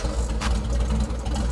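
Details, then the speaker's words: Kraftwerks/Porsche 917 race car with freshly rebuilt PMO carbs, tuning before the linkage is joined: a low, shaky, lumpy idle with stumbles and a rich mixture; the intakes are unsynchronized and need balancing. "You can see here that it's still really shaky. What we want to do is we want to get all of these intakes matched up right on the money."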